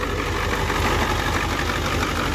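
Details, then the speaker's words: 1990 Ford F Super Duty flatbed, 7.3 IDI naturally aspirated diesel, ZF5, warm idle: uneven lumpy clatter as if two cylinders drop out; cylinder one injector leaking badly and another injector's pintle broken, causing misfire and rough running before injector replacement. "nty so not only did we have cylinder number one leaking really bad this one I think this was cylinder I forget which one but you see that pin tile is broken so we're probably missing on like two cylinders no wonder is running so rough"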